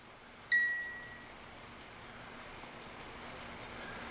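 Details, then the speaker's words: 1950s German-made Reuge wind-up ballerina music box alarm clock, opened for oiling; music box turning but barely playing, one faint pluck then soft whir while being helped along; gummy dried old oil in movement, cause not confirmed. "you can see the music box is trying to play it is going around let me help it a little bit more"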